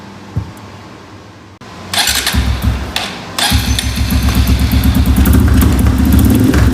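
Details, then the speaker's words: Honda 150F dirt bike on the stand after carburetor rejet (needle clip, washer under needle to richen mid-range); crisp even single-cylinder revs with slight top-end gurgle, owner thinks rev limiter; normal revving. "That sounds pretty good for just sitting on the stand. Kind of got a little gurgle on top end, but I think that's the rev limiter kind of somewhat kicking in."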